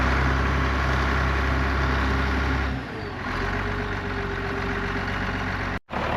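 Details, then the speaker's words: Allis-Chalmers diesel tractor just started after cracking injectors, running the electric fill pump, heat and ether: low, even idle settles in and holds steady with no knocks or misses; sounds healthy. "Um, it's running. Sounds healthy."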